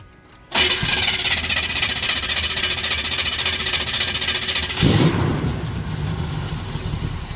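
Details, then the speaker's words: Monte Carlo carbureted engine with a Holley choke being set up, cold start: it cranks and catches quickly, then revs sag to a low, uneven idle. The fast idle is not engaging, or barely. "Okay. Uh, as you can hear, the fast idle is not kicked on, or if it is, it's barely on."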